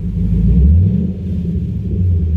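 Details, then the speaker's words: Chevy Camaro V8 after a fix for StabiliTrak misfire codes P0174, P0202 and P0302: a deep, even idle with no stumbles or skipped beats; the misfire is gone. "let's see if my misfire's still there no that sounds good"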